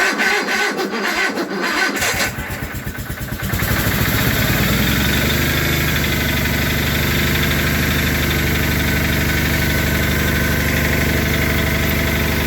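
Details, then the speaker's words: Cold start of Onan garden tractor at 10°F overnight, 5-40 diesel oil: cranked first to circulate oil, then full choke and a quarter to a third throttle; catches after a couple of seconds and settles to a steady, even idle. Normal start. "going to crank these over to get the oil flowing and then we'll choke them and see them fire up"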